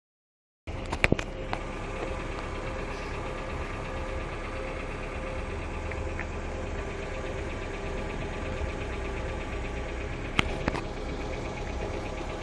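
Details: Hyundai Accent II at idle: light, quick ticking riding over a steady idle from the top of the engine; noisy hydraulic lifters.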